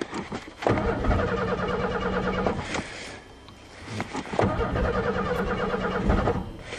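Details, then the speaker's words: Cold start after winter on a fresh battery: starter whirrs steadily, engine fires briefly then dies back to cranking; fuel pump not heard running though it worked in November. Cranks and fires briefly but won't start. "I don't hear the fuel pump now the fuel pump work fine in November please after all this work no no ah Spartan and fired oh"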